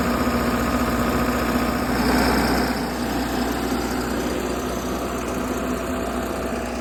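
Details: 60kW Kohler REOZJ diesel generator on a mobile MRI/X-ray trailer, running with fuel solenoid wired in and starter jumped after control board failed. Steady even idle, low regular thrum, no misses or knocks; normal idle.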